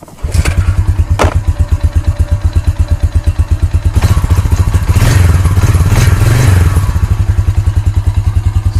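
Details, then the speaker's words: 2006 Honda TRX350 ES Rancher ATV started with the manual pull start because the electric start only clicks: catches on a single pull, steady even thumping idle with a brief rev. Runs fine; starter motor suspected. "it starts and runs good."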